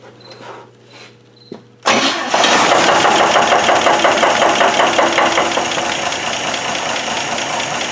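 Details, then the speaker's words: 1965 GMC 1-ton, cold start after sitting a few days, no oil pressure gauge: a deep, steady knock about three a second at idle that then goes away completely; rod or main bearing suspected, ruled out as a wrist pin. "Usually if it's a rod, you rev it up like that and then let off of it, you hear it. And you can't hear it anymore once it goes away."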